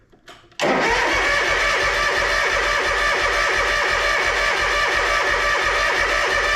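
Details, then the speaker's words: Toro Z Master commercial mower, Kawasaki FX691V engine with over 2,000 hours: starter cranks at a steady rhythm without catching; crank-no-start, suspected fuel not reaching or being processed by the carburetor. "today there you have it absolutely nothing Kawasaki FX 691v engine again has over 2,000 hours on it"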